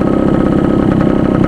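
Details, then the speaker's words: 2-stroke motorcycle (Suzuki X4/Raider 150 ride) idling fast with a high idle setting: crackly idle with sharp pulses and raspy bark. Exhaust is loud because the silencer's internal divider is gone; a new silencer is planned to reduce noise. "So akin lang, parang hindi lang gantong kaingay, mabawasan lang yung ingay niya."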